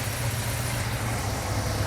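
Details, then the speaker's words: 1972 Ford Mustang Mach 1 with a Ford 4300 carburetor, idling after the timing was retarded until vacuum dropped, near the A/C compressor limit: a swaying lopey idle with rpm and vacuum rising and falling; a belt noise, possibly the alternator, is also suspected. "mais c'est un médium qui tremble un peu et ce qui se passe, je ne suis pas fou de ça non plus là où c'est changer le régime, euh, continue de monter et de descendre"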